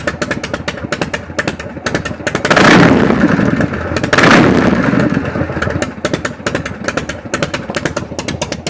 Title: 74 flh idle and rev after pushrod and carb adjustment and exhaust leak fix